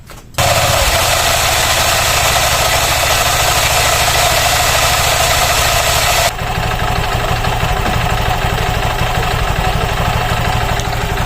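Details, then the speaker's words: Honda Click version 3 scooter idling after CVT cleaning; the CVT had become noisy at only 1,000 km. Squeak and scraping are gone, leaving light regular ticking, belt lightly greased. "po ba medyo tumahimik at nawala na pong langit-ngit at langasngas at ito nakakarin na nga po tayo ng mga katok tik tek tik tek tik tektek"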